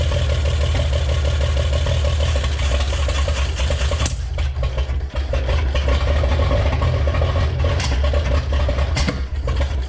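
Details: 1961 Chevrolet Impala with base 235 six-cylinder, 3-speed manual, first run after about 28 years in a junkyard: strong low rumble with irregular pops while revving; owner suspects a fluttering valve, possibly timing or old plug wires.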